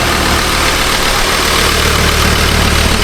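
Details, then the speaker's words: Ford Ranger Wildtrak 3.2 diesel idling with bonnet open after turbo gasket replacement: even, quiet idle with steady light clatter, no hiss, puff or whistle around the turbo; no longer making noises, healthy. "Very quiet. Yeah. Not making noises anymore, babe. Shut the bonnet, be even quieter."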